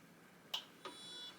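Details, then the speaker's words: Aftermarket clutch slip controller: the solenoid valve clicks twice about a third of a second apart as the clutch switch releases off the floor. This is normal PWM operation; the valve is working as it should. "Could you hear that? That's the sound of this thing doing what's called a pulse width modulation, or PWM. And that's the valve working like it should."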